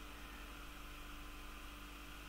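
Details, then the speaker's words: Raspberry Pi 4 Model B starter kit, first boot into the preinstalled desktop: the small case fan runs noisily with a steady, even whirring drone and faint hum, no speed change, while the board vibrates on the desk; loud fan drone. "je sais pas si vous entendez mais c'est le ventilo qui fait du bruit comme ça vu que ça vibre un petit peu sur le sur le bureau"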